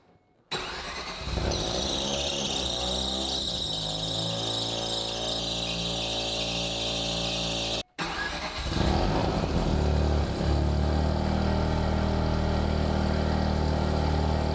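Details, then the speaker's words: Rotary Corvette cold start, not yet warmed up: cranks and catches, slightly lumpy idle settling around 800 rpm; noise suspected from thrust bearing or clutch, not the engine. "a little bit pissy to start up but you it hasn't even warmed up yet she's perfectly idling out of whatever 800 rpm"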